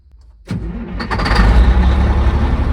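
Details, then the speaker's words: Caterpillar 3406E diesel (D350E Series 2 haul truck front section) started for test before conversion: brief crank, fires at once into deep steady idle without misses; little oil pressure building, healthy start. "that's what I figured we got a little pressure"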